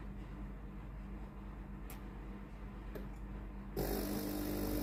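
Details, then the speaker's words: Tefal GV8950M0/23 steam iron, water pump tested after no-steam fault: even pulsing buzz about four beats a second over low hum, then steam rushes in; pump runs normally and the iron is ready. "pompe à eau fonctionner. L'appareil est prêt à l'emploi."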